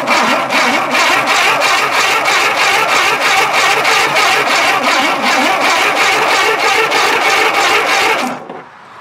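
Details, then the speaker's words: Tera jet engine: steady fast cranking that never fires; the owner suspects no spark and a bad coil. Cranks but no start. "do I need a coil? It don't sound like I have any spark."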